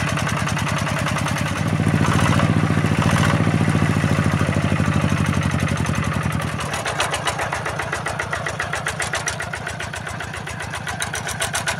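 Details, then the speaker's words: Yanmar TF-85 single-cylinder diesel tractor thumps three to four times a second under a metallic jingle from worn fan bearings and fan-adjuster bearings, plus loose tractor body rattle; engine itself runs smooth. "Dan ditambah dengan suara pada badan traktornya ini ya. Jadi suaranya tambah berisik dia. Sebenarnya mesinnya ini sudah halus ya. Cuma ini banyak e sudah longgar-longgar atau sudah oblak pada rumah traktornya."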